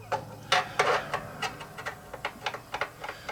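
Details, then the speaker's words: Dean acoustic/electric bass: light, sharp clicks three or four a second as a fret rocker rocks across three frets, showing the fret is high on one end while level on the other; part of a fret buzz repair. "You hear that clicking. That's me rocking it back and forth, showing that this fret right here is high."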